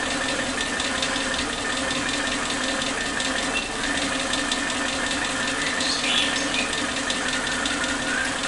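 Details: Suzuki Katana car with unstable idle rpm, before its old spark plug leads were replaced: the idle runs rough and uneven with irregular stumbles and exhaust pops. A misfire caused by worn spark plug leads.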